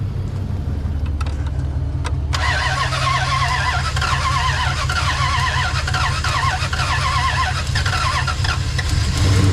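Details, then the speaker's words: 2003 Dodge Ram 1500 Hemi V8, 426,294 miles, after throttle body cleaning/swap and a failed first start: cranks two seconds, catches, runs loud and ragged with uneven beat; engine flooded (loaded up); a clicking, possibly spark plug, noted after. "Man, that thing was loaded up, dude."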